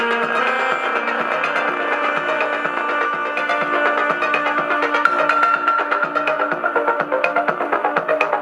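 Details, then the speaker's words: New Panda F-539 twin-deck boombox playing music from USB; one speaker is very distorted and probably broken. Harsh, buzzy, rattly crackle on every beat; distortion blamed on the speaker, not the player. "let's see what music sounds like through this oh yes very very distorted"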